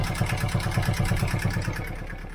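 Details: Boat diesel, first start in years on roughly 10-year-old, biodiesel-smelling fuel: steady, even chugging about nine beats a second, deep and regular, no misses or knocks; no leaks, temperature rising, oil pressure present, healthy idle.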